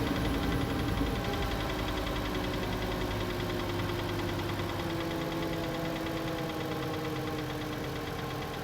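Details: 2012 VW Passat 2.5 with 125k miles, cold start: fast light tapping about four per second over steady idle, first time heard; owner suspects water pump or belt tensioner, not confirmed.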